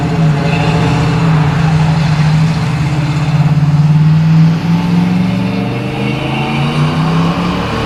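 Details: 1979 AMC Spirit AMX, 304 V8, on a drive after replacing the vacuum-secondary Jegs carb with a mechanical-secondary Brawler carb, same jetting: deep V8 note climbs smoothly and pulls strongly, no stumble or bog; normal acceleration, idle speed still needs adjusting.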